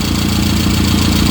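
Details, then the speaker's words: Rover Mini being warmed up so the gaskets settle, after a top leak was tightened, holds a steady, even low idle with no knocks or misses; normal warm idle. "so we're just letting some heat get into the engine make sure the gaskets are coming around all that sort of thing"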